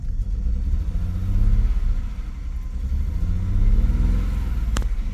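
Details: Salvage 2007 BMW X3 bought as a non-runner, now running on its own power with the alternator charging; a deep exhaust rumble with two revs and an uneven, lumpy beat; a big misfire, cause not yet found.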